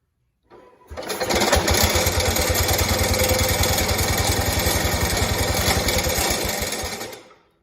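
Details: 1969 Cub Cadet 105 single-cylinder, hydrostatic transmission pump removed to chase a hard-start problem: fires right up, runs with a steady, even beat about six seconds before shutdown; starts normally.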